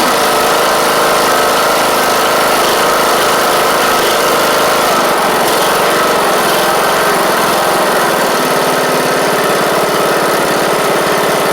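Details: John Deere D110 riding mower after new engine install and fuel pump reconnected: loud, steady engine note at even speed, no knocking or stumbling; normal running.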